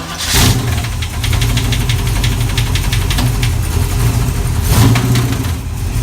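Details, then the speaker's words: Chevy 350 V8 race car at a rough idle: heavy irregular banging with no steady beat, getting worse over time. Suspected bullet or foreign object in a combustion chamber slamming against the head; the engine likely needs to come apart. "That noise in there is just not good, and it was faint in the beginning, and it's getting worse and worse."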